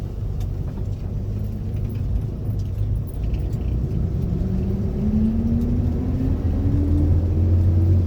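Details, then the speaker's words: Corvair automatic after vacuum modulator replacement, hose not yet connected; full throttle, pedal floored, engine pulls hard with rising drone, then pitch drops and climbs again as it upshifts; throttle feels different; automatic transmission upshift under full throttle. "There. I don't know if you can hear that, but it just shifted right there. And the throttle feels different now."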